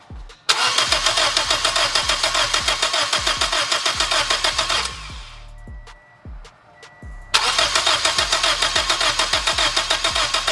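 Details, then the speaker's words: 2007 Toyota Corolla LE, first start after turbokits.com turbo kit install, in garage: fast, raspy, loud puffing at each exhaust pulse over a slightly high idle, sounding catless, with exhaust smell; exhaust leak. "it's basically running catless right now with how bad that exhaust leak sounds and I can really smell it"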